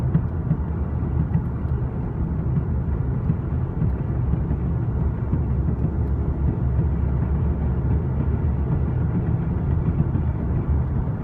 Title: 2013 Vw cc r line weird tire noise